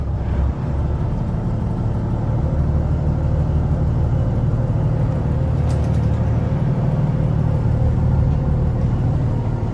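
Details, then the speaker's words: 25-year-old Volvo mechanical diesels on a 2000 Pursuit 3400 boat after a cold-winter first start: deep, even rumble at a slightly raised idle, steady with no knocks or stumbles. Sounds healthy. "nice sound pretty good yeah all right sweet"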